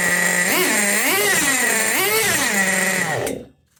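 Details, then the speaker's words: Tamiya Nitrage 5.2 1/8 nitro truggy built 2008, out of storage, carb freed up: sharp revving blips, then stalls when throttle closes on braking; idle gap set too small, needs adjustment. "yeah as soon as I hit the brake so there is a bit of adjustment needed as soon as I hit the brake it would does cut out so it closes the Gap"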